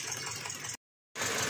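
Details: 2021 Toyota Avanza with cylinder 3 misfire code P0303, plugs already replaced and coil swap done: choppy, uneven idle with a light rattly tick and a stumbling beat. The dead cylinder is caused by a dislodged rocker arm.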